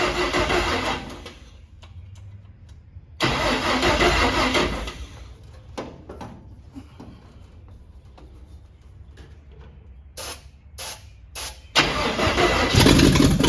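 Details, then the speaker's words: Cab-over van engine with carburetor opened up and fuel line run to a can, battery getting weak: bursts of brisk cranking that never fire; fuel pump not delivering fuel, owner suspects a clogged filter. "anything yet not pumping any fuel if there's a filter in there that thing could be clogged up"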